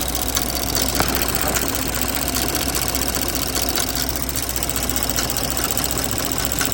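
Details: 2024 Porsche Macan S at idle after spark plug replacement; light uneven ticking about two to three per second over smooth idle; origin unknown.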